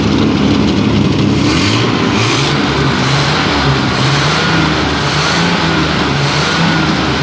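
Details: Torino TS, 1975, after a tune-up: engine pulls up through a few smooth blips and drops back to a steady idle with no misses or knocks; sounds well tuned.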